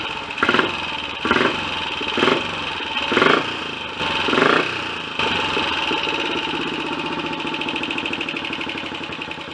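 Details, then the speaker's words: Royal Enfield Olympic 250 unit single that won't hold a low tickover; uneven bursts about once a second before it catches and runs, never settling to a steady tickover. "you try and get a tick holder over some of them and this is one of them and I'm just gonna do this um just to show what happens"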